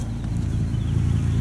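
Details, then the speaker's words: 2010 VW Jetta SportWagen 2.5 SE, 2.5 L inline five-cylinder, six years old, heard under the hood at idle: a low, uneven puffing pulse under a steady rumble, from an exhaust leak. "And as you can hear, it does have an exhaust leak."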